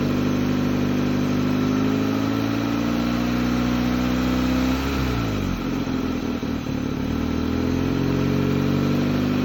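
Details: 2004 Hyundai Elantra started after sitting 2 years, check engine light on, brakes seemingly seized. Idle wanders and the engine note sags and recovers instead of holding steady; abnormal revving, cause unknown.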